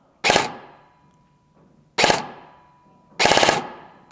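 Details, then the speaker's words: Airsoft gun with Gate Aster MOSFET just programmed, five-round burst mode test: three short sharp bursts of about five rapid shots each, each stopping cleanly on trigger release; burst setting works. "I Pro on semi-auto and now five round burst and let's see if she will stop shooting when I let go of the trigger"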